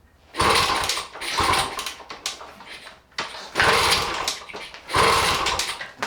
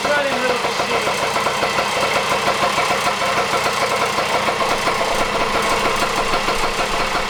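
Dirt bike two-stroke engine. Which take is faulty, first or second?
first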